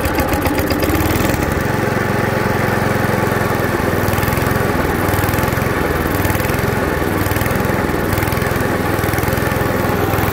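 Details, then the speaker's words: 1989 Hayter 21 Osprey orchard mower, 5HP Briggs & Stratton 132922, cold first start after cleaning starter ratchet and new fuel pump diaphragm: single-cylinder settles into steady chugging run, no misfire or clatter; running fine. "thank you first start of the age of 21 from 1989 I found it on the side of the road"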